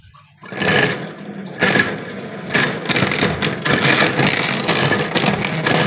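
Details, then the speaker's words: Carbureted Honda Beat scooter, rear wheel turned with the engine revving: coarse, gritty grinding roar surging about once a second from inside the CVT housing, severe enough that the bike likely can't ride; cause not yet confirmed. "ya teman-teman Suaranya sangat terdengar kasar sekali ya"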